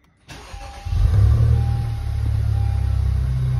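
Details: Honda Civic FK8 Type R race car after GCG turbo upgrade install (560 hp, track-only): short crank, clean catch, revs flare then settle to a steady, even idle with no knocks or rattles; normal engine start.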